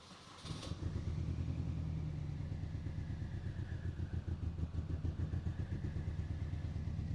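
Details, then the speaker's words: Rebuilt Mini Cooper S R53, first start after engine and gearbox reinstalled, run briefly with no coolant: catches then a lumpy, uneven low idle with irregular beats and clatter; running rough, cause not yet found. "yeah so as you can hear that is um it's not good"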